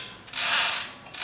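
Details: Craftsman table saw motor after installing new carbon brushes: two slow hissing swishes as the mechanism is turned by hand, a dry drag from fresh grease that will wear in; normal.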